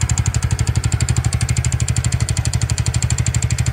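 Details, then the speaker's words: Nearly new TVS Ntorq 125 scooter at idle: a steady tak-tak mechanical tick about three per second, tied to engine speed. Suspected timing chain, starter (self) bearing or loose magnet; not confirmed. "सा रहा है टक टक टक टक टक टक करके कैसे साउंड हो रहा है ये सुन सकते हो ये सुनिए कैसे साउंड हो रहा है तो टाइमिंग चन का हो भी सकता है और सेल्फ बेयरिंग का व भी हो सकता है"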